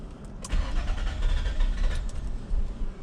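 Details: 2001 Nissan Maxima 20th anniversary 3.0L V6 (VQ30DE) after sitting a few minutes: long slow cranking around 425 rpm, uneven puffs barely catching despite good fuel pressure; hard start with extended crank.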